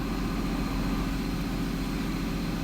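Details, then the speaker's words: 2006 Mazda MPV 3.0 V6: scan tool requests about 4000 rpm but idle barely rises, IAC at 100% duty cycle; steady low idle that never climbs. Sticking idle air control valve, later replaced. "iac is maxed out at 100 duty cycle so basically what we have here is i'm pretty sure this is a sticky idle air control motor or solenoid yeah this sucker is not responding"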